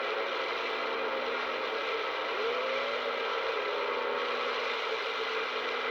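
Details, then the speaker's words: Uniden PRO 500d CB radio from an estate, restored with all electrolytic capacitors replaced and first powered up in years. An even, thin hiss with a faint wavering tone and no crackle or dropouts shows it receiving on frequency, apparently on Channel 19. "well that's the sound I was hoping for so the radio is on frequency and sounds like Channel 19"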